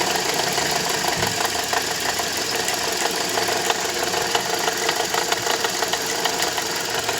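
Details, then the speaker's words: Toyota Corolla 150 at idle: light metallic knocking about three per second, a bit uneven; water pump first suspected but fine, alternator overrunning clutch pulley was broken with heavy play and was replaced. "сейчас скину ремень генератора в общем услышал стук бряк похожие такое было когда помпа сломалась"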